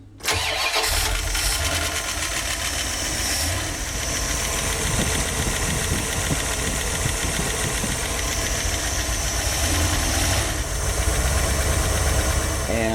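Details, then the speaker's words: 1989 Dodge B250 van, 360 V8 with GM-style HEI distributor, cold start: busy idle with fast, scattered light ticking all over the top end like rattling BBs; cause unknown, owner plans cam, distributor and drive gear replacement. "Cold start. Start it up, it sounds like BBs all over the place. But listen to it."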